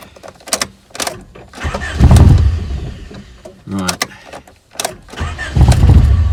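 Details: Dead Rover 416 GTi non-runner: cranks, catches briefly then dies, catches again and fades; misfires and cuts out even with throttle; fuel pump runs, owner suspects ignition/distributor, not confirmed.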